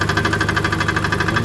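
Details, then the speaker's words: 2011 Chevrolet Aveo with misfire at idle: fast tinny rattle about twelve beats a second from the broken substrate inside the exhaust-manifold catalytic converter, damaged by long exposure to the misfire. "so that rattling is the substrain inside the catalytic inverter on the exhaust manold it's obviously been compromised because of the the long exposure the M fire"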